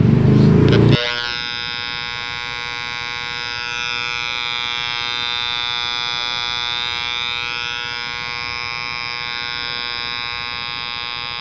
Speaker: kung mapapansin natin meron siyang sound pero may humalong Ugong o distorted sound